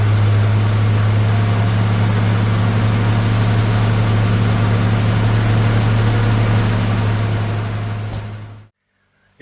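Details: Nissan Navara EP31 with a newly rebuilt VG30 engine at idle: a steady low drone with an even tap about four times a second until shutoff. Engine tapping noise, cause unclear.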